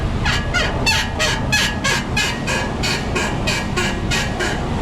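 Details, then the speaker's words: 2003 Toyota Tundra, about 180,000 miles, checked for noises: sharp high squeaks about three times a second, one with each bounce of the front end; a dry, worn upper ball joint is making the noise, and the lower ball joint is about to come apart. "It's actually the upper ball joint making the noise, but the lower ball joint's about to come apart."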